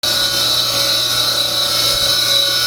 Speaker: uh noisy pump unfortunately a lot of equipment nowaday in order to keep the prices down they they fit cheap Chinese bearings and really the bearing is the main important part in these and they should really fit some decent bearings otherwise they just last a couple of years and they start squealing like a banshee